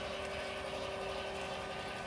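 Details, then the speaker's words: Lippert Ground Control auto-leveling on a 2017 Windjammer 3029W travel trailer: after grounding, the front jack retracts automatically with a steady whirring motor and light ratchet-like chatter, a normal retraction. "So now it's going to pick it up, and now it's going to automatically retract the front jack,"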